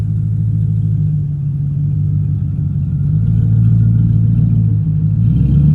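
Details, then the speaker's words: 2002 Ford Mustang GT V8, LAR X-pipe installed, cats deleted, SLP Loudmouth mufflers, tailpipes unfinished, low idle rpm noted: deep even burble at idle swelling smoothly on light revs, no ticks, knocks or leaks; normal idle and revving. "But, I think it sounds good. It's quiet. Got the cat deleted on there."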